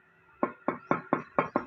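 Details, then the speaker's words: Toyota Vigo suspension arm ball joint, removed and rocked by hand: six hollow metallic knocks from free play. Water got in and rusted the plastic bush until it was cut away, so metal knocks on metal, heard as clunks on rough roads: worn ball joint. "अब गोली और नीचे जो लोहा है, ये इसकी चिमटे की जो लोहा है आपस में खड़खड़ कर रही है, लोहा आपस में आवाज़ कर रहा है।"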